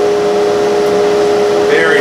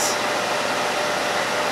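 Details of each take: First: Harbor Freight Central Machinery dust collector whose motor seized, bearings freed and oiled: steady fan roar with strong constant mid-pitched hum; worn, failing front output-shaft motor bearing, to be replaced with SKF bearings. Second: Harbor Freight Central Machinery dust collector after seized motor bearings were replaced with SKF Explorer 6205 front and 6204 rear: smooth, even air whoosh with no rumble, tick or grind; motor runs cleanly.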